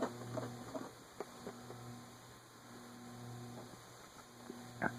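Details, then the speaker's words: 1920s Emerson 6-blade 30-inch Longnose antique ceiling fan on a low speed setting: a quiet, steady electrical hum with no blade whoosh building, and the motor stalls. The nose cone may still be too tight and binding; a catching felt washer or bearings are suspected. "Yeah, see, that's just going to stop."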